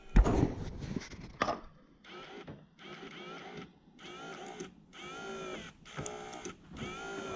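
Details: Toyota Surf/Hilux transfer case electric 4x4 engagement actuator motor, after strip and service. Small motor whirs in short even bursts, each a steady rising whine then stop; normal actuator operation.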